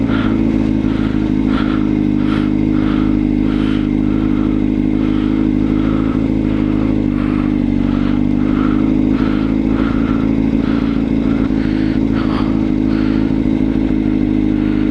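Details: Motorcycle on a ride gives a light, even tick over a steady engine drone. Oil level is correct and the source is unknown: abnormal engine ticking.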